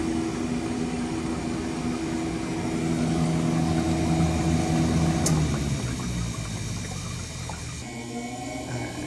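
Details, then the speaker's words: Scotsman Prodigy C0530MA ice machine, max freeze fault (1 flash), making one batch a day: pump and fan hum drops away midway as water pump cuts out while still called on; condenser fan cycles, no water over evaporator, low pressure; control board suspected, to be replaced. "we just lost the pump again. You can hear the condenser fan cycling off and on. There's no water rolling over the evaporator, which is creating a low pressure situation."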